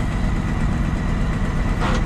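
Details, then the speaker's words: Auction crane truck diesel at idle, clutch pushed and air-operated PTO switched on; a brief harsh quarter-second grind as the transmission PTO gear clashes into mesh: PTO gear grind on engagement. "i heard it grind did you guys hear it the light even works"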